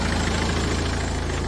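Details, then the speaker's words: Talbot Express van converted to a 2.0 HDI Peugeot DW10RHY diesel with added fuel lift pump: steady, even idle with constant low pump hum, owner unbothered; normal idle with audible lift pump. "But you can hear that fuel pump. Doesn't bother me. Just means I got an HDI."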